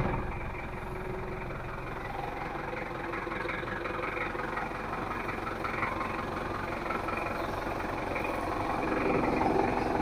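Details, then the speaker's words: Diesel (L300/Kuda type) after an engine rebuild, complaining of harsh noise, thick smoke, high fuel use and weak pull, idling: steady clatter with a slightly uneven, harsh knock. Rough idle is blamed on incorrect injection pump setting and timing. "ini adalah suara mesinnya kalau menurut saya sih enak tapi masih agak terlalu kasar suaranya terlalu agak kasar sedikit menurut saya"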